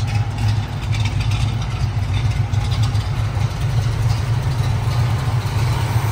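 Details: 1969 Pontiac Firebird Trans Am replica, rebuilt 455ci V8 with no. 96 heads, Edelbrock intake, 4bbl carburetor, stock exhaust manifolds: deep steady lumpy burble at idle, even beat, no knocks or ticks; healthy V8 idle.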